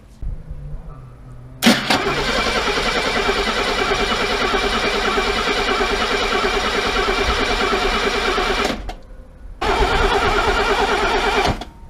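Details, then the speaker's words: Mercedes W114 with freshened engine just refitted, first start attempt, headers cold, in park: steady fast cranking, pause, crank again, never catching; no fuel smell at exhaust, a wire later found disconnected. "Why is it trying to stop? You smell fuel out the exhaust? No. Doesn't even smell."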